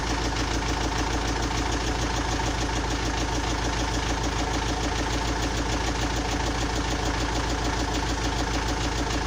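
Idle carries a regular knock riding over the engine, roughly a beat every second or less, steady throughout; source of the knock unknown.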